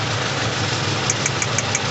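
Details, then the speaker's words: Toyota Innova gasoline VVT-i idling: even idle with a faint crisp tick about six times a second; a slight misfire remains from a weak ignition coil pack on one cylinder, before the coil is replaced with a new one. "so ito yung problema yung number nail na to yung coil pack na yan yan ang problema diyan"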